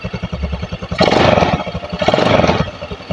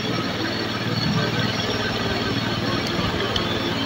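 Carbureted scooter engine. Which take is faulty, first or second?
second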